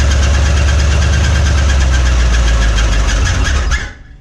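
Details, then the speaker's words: 1961 Mercury Meteor first start in decades after new parts: heavy low rumble with a hard regular knock about four beats a second until shutdown; oil pressure light on, no oil pressure, bearing knock. "We're not getting any oil pressure. Do we need to pop the valve cover off to see if there's any oil on the top of it?"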